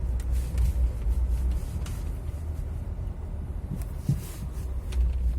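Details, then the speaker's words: Renault Laguna 2 over potholes and a speed bump: heavy road rumble with dull front thuds on both sides, a hollow knock. Anti-roll bar links and ball joints were already replaced; a faulty shock absorber was the cause. "То есть слышен глухой ударный звук. Скорее всего, это будет стойка, стабилизатор уже все поменено."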